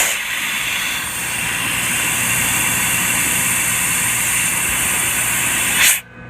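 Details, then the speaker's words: Winton under-mounted prop-shaft-driven compressor/generator on a van, PTO engaged, van warm and in 5th gear, heard at the rear compressor outlet: steady hiss of escaping air for about six seconds, then sharp cutoff; normal tank pressure regulation. "if you listen throughout the video, you'll hear short bursts of air, and that'll be the compressor regulating the compression in the air tank, continuous air tank."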